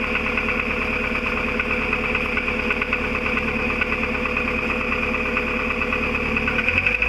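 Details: VW Golf IV 1.4 16v petrol, 102,000+ on the counter, idling: loose tinny rattle just after the engine block when starting or releasing throttle, flaring on blips; exhaust rattle suspected, not confirmed.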